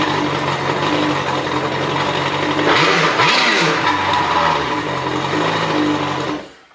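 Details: 2013 Kawasaki STX-15F jet ski after fuel tank flush and rebuilt seized fuel pump: catches and runs with a steady hum and brief rev swings, then shuts off; first start needed help, owner suspects idle air control valve.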